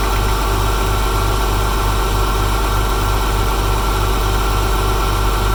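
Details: Porsche 996 at cold start: flat-six idles with a steady low thrum and a faint pulsing tick riding on it; a separate buzz is from a loose bumper clip; tick cause not evident.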